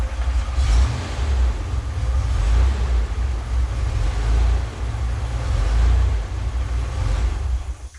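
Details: Ford Bronco II 2.9 V6 idling: deep uneven rumble surging and sagging every second or two, idle dropping near 400 rpm then rising, stumbling; suspected failing fuel pump (third), battery terminals cleaned; rough idle, cause not pinned down.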